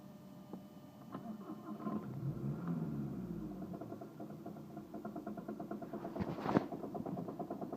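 After a stumble and restart, the idle settles with a faint, uneven tapping of about three per second: a knock at idle, cause unknown.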